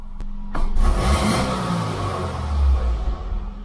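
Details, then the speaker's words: 2006 Subaru Impreza 2.5L single cam after cleaning the dirty MAF sensor, parked not in gear: engine blips up cleanly and settles back without hesitation; response much better. "okay that was better gotta drop again that's much better actually"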